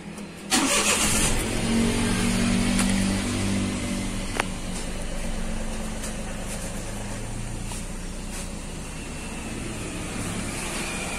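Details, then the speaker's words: 2013 Daihatsu Xenia 1.0 with a sudden misfire (code P0303): after replacing the faulty part, the engine starts promptly and settles into an even, smooth idle with no stumble. The stored code still shows, but the idle is now good. "codecnya masih muncul tapi langsam sudah enak ya"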